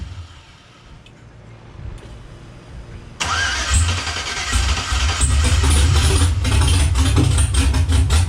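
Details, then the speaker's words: Car engine first start after the backwards passenger-side coil pack harness was corrected: cranks, catches and runs unevenly with a lumpy, hunting beat. It won't hold idle without throttle; owner thinks it isn't zeroed out and must relearn idle. "let it idle i wonder why it won't idle yeah i'll hold it up in a little bit it might not be zeroed out"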